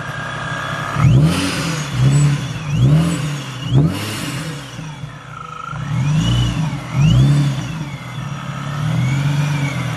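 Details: Nissan G35 with a Vortech supercharger on a base map, GTM pulley mod: several clean throttle blips, blower whine climbing and falling with the revs; engine and supercharger sound healthy.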